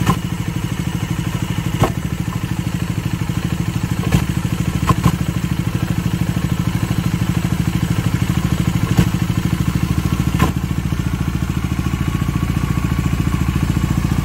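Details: Bajaj Dominar 400 with under 1000 km, idling: low even thumping with occasional sharp clacks; clutch pulled to check for difference, oil appears not to move; engine clatter, source not pinned down.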